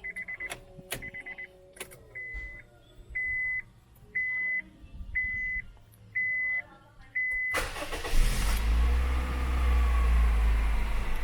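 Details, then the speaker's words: Used-car check: warning chimes, then a short crank without touching the throttle, and the engine fires on the first try and holds a steady idle. Normal start; a car that needs repeated cranking would indicate a problem. "Ini step pertama, harus menyalakan mesin tanpa digas atau tanpa lama-lama langsung dikontak hidup. Itu tandanya mesinnya step pertamanya sudah bagus."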